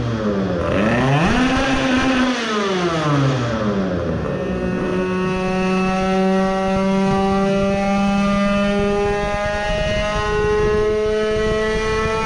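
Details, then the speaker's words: Tuned 20 hp two-stroke moped at full throttle, mixture should now be better and ignition not too advanced: buzzy note rises, dips briefly, then holds a strong steady high-pitched wail with no fading. "and see if it is fading anymore with the good airflow sounds like an (illegally) tuned moped"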